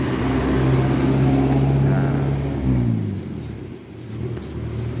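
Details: Mitsubishi Lancer, 4G13 engine: revs high then drops away, with a faint rapid rattle riding on the drone; customer complains of knocking especially at high speed and high rpm, cause unknown.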